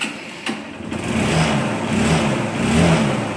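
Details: CBZ Xtreme motorcycle after self-starter motor repair (carbon brushes changed), in neutral: short starter whirr, engine catches and settles into steady idle; self-starter now cranks and starts cleanly.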